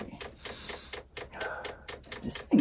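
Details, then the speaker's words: Chinese diesel air heater fuel dosing pump in Eagle bus conversion, after fixing fuel line with air bubbles moving toward heater: light regular soft ticks a few per second, louder if touching a surface; normal fuel pump ticking. "so that's probably about the only noise that's probably about as quiet as you're going to get that without wrapping in some kind of sound isolation box"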